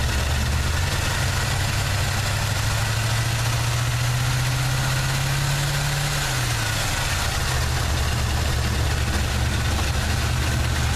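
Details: A '79 Chevy truck 350 V8 with an automatic choke, sound compression and clean plugs, idles low and rough, briefly revs up, then settles back into an uneven, nagging misfire.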